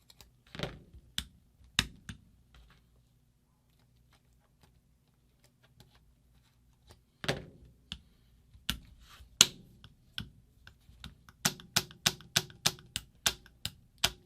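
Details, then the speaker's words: Angel LED SE paintball marker rebuilt after shoot-down issues (ram rebuilt): crisp, sharp snaps in bursts, then even clicks. The bolt is pushed forward to take up the gap, so the regulator is set correctly. "Hear that snap? That means it's pushing the hammer or the bolt forward slightly to try to take up that gap, which is exactly what you want it to do."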